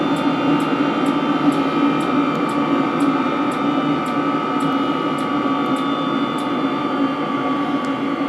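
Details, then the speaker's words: 16 kW 12V diesel parking water heater after reaching 80°C water temperature; glow plug back on for the finishing cycle. Even fan hum with faint regular pump ticks about every half second; normal shutdown cycle. "Well, it's brought the glow plug back on, so it's going in a finishing cycle."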